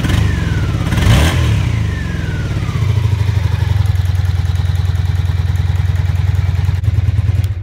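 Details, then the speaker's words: 2004 Suzuki DRZ110 pit bike after fixing oil leaking from the top end (head sealed with high-temp gasket maker): revs, drops back and settles into an even, steady low idle with no misses or knocks, running cleanly. "It's running without any gas source. And it's running really good too."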